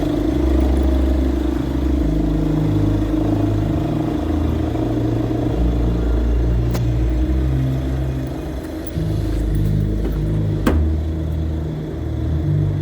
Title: Alternator pulley clutch noise